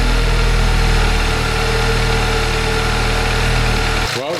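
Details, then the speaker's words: Audi S3 fitted with a VW Golf R engine, first start after the swap with the cooling system filled with water: smooth, even idle with a steady hum and no knocks or misses. No coolant leaks seen. "she is sounding sweet to be fair I've just stuck another 500 mL of water in and we're looking good"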